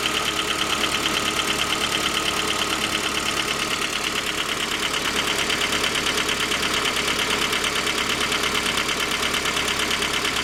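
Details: J20A engine (2010), cold idle: sharp, regular knock about three per second over the idle. Began at 10,000 km and seemed to worsen after oil changes; dealer checks were normal. Found a scored crankshaft journal on cylinder 3, blamed on non-recommended oil; short block replaced.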